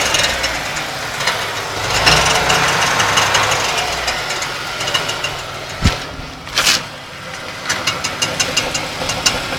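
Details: 1992 Ford Taurus 3.0 Vulcan V6 idling: harsh constant grinding with uneven metallic clatter, seemingly from right side inside the block; started as occasional clatter; persists with alternator and serpentine belt removed. Cause unknown.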